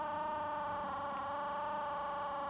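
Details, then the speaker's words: 1981 Mercedes W123 front left door window motor, original large-cog unit, before the swap: a thin, quiet, steady hum with no speed change or load surge. Very slow and unable to lift the window past midway. "so my existing one with the large Cog here for the front was failing and it was very slow and wouldn't wind the window"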